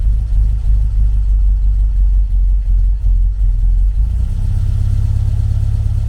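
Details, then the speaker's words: 1974 VW Beetle 1915cc air-cooled engine on MaxxECU EFI during fuel-table tuning: low, even idle settling to a steadier beat, no misses; normal idle, running well with lambda around one. "See, when the lambda's around one, it's running really well."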